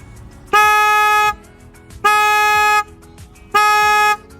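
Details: 10th-gen Honda Civic with newly mounted aftermarket horn, bracket adjusted so it no longer hits metal: three clean, strong, steady two-tone blasts under a second each, nothing rasping; horn working properly.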